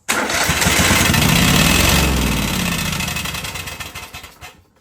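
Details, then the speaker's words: Craftsman DYT 4000 riding mower twin-cylinder engine during a spark gap test; catches and runs rough and uneven a few seconds, then winds down and dies. Weak spark found on one cylinder. "Yeah, so it's just weak spark. Interesting."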